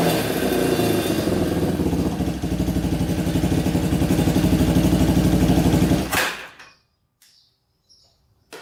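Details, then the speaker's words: Yamaha Warrior 350 quad, unknown year, after carburetor cleaning and idle adjustment: uneven single-cylinder thumping then sags and stalls, running well at first then cutting out and bogging; owner suspects exhaust pipe blockage, later ruled out. "So it was running good at first, and then it kind of like shuts off and bogs down. So I think there might be a blockage in the pipe."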